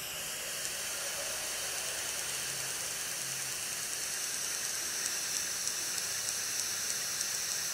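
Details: iPod Touch 4th gen, playback of a 720p video-mode recording; a faint, steady tick about three times a second under loud hiss, caused by the Wi-Fi radio and fixed by turning Wi-Fi off.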